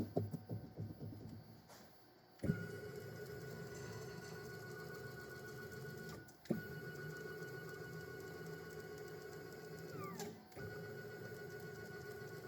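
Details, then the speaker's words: DIY CNC router Z-axis with heavier water-cooled spindle, after fitting a hydraulic shock to stop gravity unloading the lead screw; same settings, steady even hum with a clean high tone, growl and vibration gone; smooth Z-axis motion. "So much better. >> Same machine, same settings. The only difference is the shock. Nice and smooth. And the growl is completely gone."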